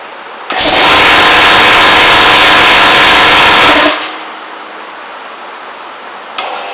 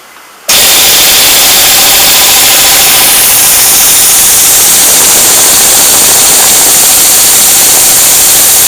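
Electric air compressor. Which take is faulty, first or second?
first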